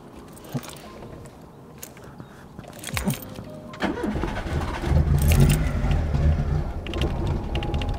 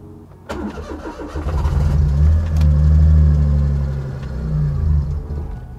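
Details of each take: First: Daihatsu Mira with custom swapped engine, after first start: catches, runs unevenly a few seconds, sags and dies, can't hold idle; owner suspects vacuum leak or misconfigured sensors, engine light possibly on, plugs manky. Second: Daihatsu Mira with custom turbo engine swap, first start, wastegate disconnected to avoid boost: catches after a brief crank, revs up and settles into a steady, even idle with no knocks or misses; runs fine.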